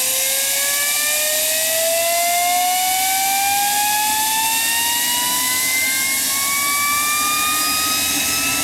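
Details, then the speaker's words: Homemade propane-fueled turbocharger jet engine, restarted to run the afterburner: loud jet whine rising steadily in pitch over strong rushing hiss as it spools up; tone changes with afterburner lit, sounding healthy. "I'm sure you heard the tone change once afterwards started going"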